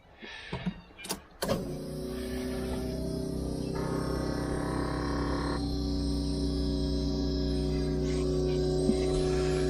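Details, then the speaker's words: Key-on fuel pump priming: a couple of clicks, then a steady electric hum that holds even, showing the fuel tank and pump still work; normal fuel pump priming. "sounds like the fuel tank and all that's working still"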